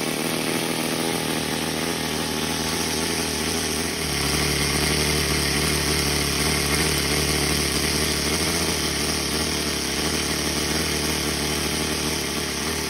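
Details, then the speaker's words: OS Max NSU Wankel nitro rotary model aircraft engine (rotor and main shaft only moving parts), cleaned up and run to ready for flying: a smooth, steady high buzz at even speed with no misses or knocks; messy but sounds good, normal running. "it's a pretty messy engine but it sounds good"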